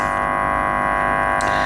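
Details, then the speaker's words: Car amplifier with its gain set deliberately high, subwoofer disconnected and test leads across the outputs, playing a 50 Hz test tone: a steady, harsh buzz at one pitch with no gaps, which is the amplifier clipping from excessive gain. "Okay, this is the clip signal you're hearing."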